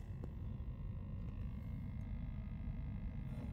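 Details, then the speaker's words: 1966 GE CB21 round-tube color TV brought up slowly on a bulb limiter at about 61 volts and climbing: low, steady hum with a faint buzz, no crackle or arcing; the vertical deflection is running normally. "Yeah, the vertical is running."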